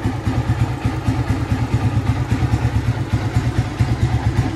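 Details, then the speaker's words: Yamaha Vixion after valve clearance adjustment: steady low single-cylinder putter at even idle, no valve ticking from the top end; idles smooth again. "Alhamdulillah suaranya lemes lagi"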